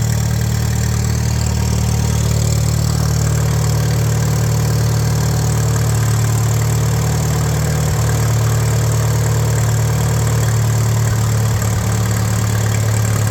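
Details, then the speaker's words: 1941 Case SC tractor, run without coolant: slow steady low chug, even beat, no knocks or misses; carb still needs tuning, no fuel leaks, 30 lbs oil pressure, smooth healthy idle. "I knew this thing would run I knew it sounds good I mean I got to play with the carb a little bit but it's not leaking gas out"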